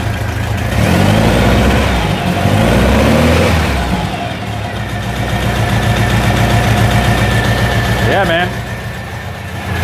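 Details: 1956 Volkswagen Beetle oval window rag-top air-cooled flat-four, Weber carburettors, after fitting a fuel pressure regulator and gauge: settles into an even, lumpy idle after a couple of blips, no misfires, no leaks, fuel pressure steady; runs fine.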